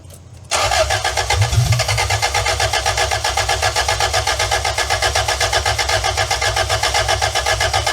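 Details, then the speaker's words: 2-liter engine newly installed in van after sitting 18 years, fuel pump on, 1.5 L transmission fluid added: starter cranks steadily about four beats a second and never catches; intake left unclamped, air leak; crank no start, intake air leak. "I think we need some clamps on this intake because I seem to have missed them."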